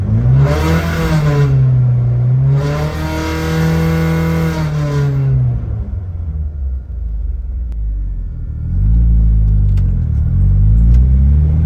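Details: Scirocco 16V petrol engine blipped twice, warmed to operating temp; thin metallic buzz from a loose heat shield between fuel tank and rear exhaust, worst at 4000-5000 RPM and as the exhaust heats.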